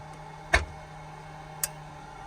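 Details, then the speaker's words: Truck dash relay clicking sharply about once a second over a steady electrical hum while wipers and marker lights drop out; owner suspects the relay has failed. "релюшка починає спрацьовувать не знаю що там мабуть вона накрилася"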